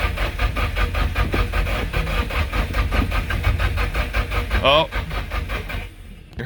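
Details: Nissan 240SX S14 SR20DET after engine rebuild, jump-started from another Nissan after fixing loose injectors: steady rhythmic cranking about two and a half turns a second with odd weak puff, no catch; cam angle sensor timing off.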